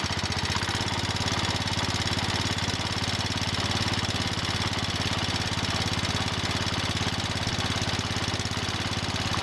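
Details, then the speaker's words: John Deere 110 garden tractor single-cylinder engine idling after a rod knock repair on the worn engine: the rod knock is gone, leaving a light lifter tick and a faint rattle, possibly the belts flopping. "okay that sounds better now I hear the lifters ticking and some other stuff rattling sounds like the belts flopping around some but I don't hear a rod knock"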